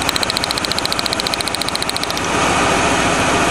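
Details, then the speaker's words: 1997 Lincoln Continental at idle after a burnt spark plug wire was repaired with tape: runs smoothly, then with one plug wire unhooked an uneven puffing thump beats three or four times a second; dead cylinder misfire. "let's do the final test sounds good here unhook that oh there's the puffy sound back the thumpy sound"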